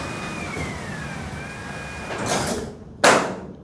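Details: Garage door after installing commercial green hinges and sleeves to cut wheel rattle: faint gliding hum while traveling, soft settle and single thud on closing, no grinding or squeal; much quieter operation.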